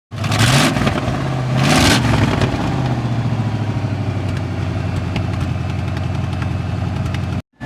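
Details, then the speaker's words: 1990 Chevy K1500 4x4, Vortec 350 small block, after sitting 5 years, with new stainless headers open, no pipes, other side not yet fitted: two sharp blips into loud unmuffled bark, then choppy V8 idle. "So we're going to see what it sounds like with straight pipes."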